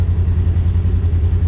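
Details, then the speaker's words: Polaris General XP 1000 after thermostat replacement for overheating, warm idle with the cooling fan on (kicked on at 194°F, temp down to 189 and dropping); steady low rumble with fan whoosh, no knocks or misses, so the thermostat works. "It just, even though the fan is running, you can hear that, or nah, you can't see it, but the fan's running, the temp is dropping, so that thermostat's working."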